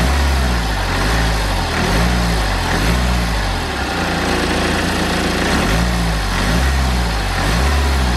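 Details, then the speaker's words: BMW N47 diesel after the charge-air pipe was replaced: steady idle with an even low clatter and no hiss or whistle. Boost leak fixed, normal idle. "Okay then, so that hissing has completely gone away now, which was to be expected."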